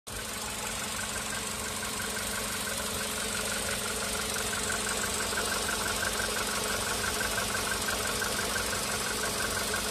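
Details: VW Polo Sedan CFNA engine warming up on firmware 9970: light, quick, even tapping about three per second over the idle. Strong knock starts only around the fifth minute of warm-up, weaker before; on 8252 it began at the second minute. Piston slap.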